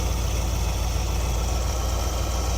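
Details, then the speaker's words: 1973 Ford Econoline E200 302 V8, carbureted, after a second carb clean cleared a clogged idle passage: deep, even idle near 800 rpm, vacuum steady at about 19 in, no stumbles or misses, much smoother than before. "So we are idling much smoother than we were."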